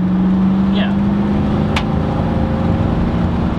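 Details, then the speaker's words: Toyota Sequoia 2UZ V8 with new custom exhaust and high-flow catalytic converters: deep, even drone at low revs with only an occasional faint exhaust clap; much less clappy, sounds healthy and fairly quiet. "definitely less clappy you can still hear the claps but it's way i think quieter"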